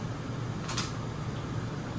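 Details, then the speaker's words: 2024 Forest River Salem Hemisphere 325RL fifth wheel fireplace heater switched off, blower and heat in the normal cool-down cycle that runs about 45 seconds to a minute; steady low fan hum and airy rush, no rattles or scraping. "If you are running the heat and you turn this off, the blower and the heat will go into a cool down cycle, and it will continue to run for about 45 seconds to a minute, and then it'll shut off."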